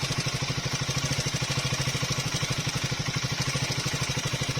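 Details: Triumph Speed 400 at about 6,000–6,500 km, before repair: light steady tick-tick roughly three a second over the idle; valve tappet noise from shim clearance issue.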